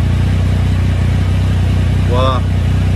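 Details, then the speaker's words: Triumph Tiger 1050 triple after balancing the throttle bodies with Tune ECU, engine warmed up, new stator and voltage regulator: deep even idle with steady low pulse, no hunting or misses; smooth stable idle at 1390 rpm. "so that's what you want to see the RPM is beautiful 1390"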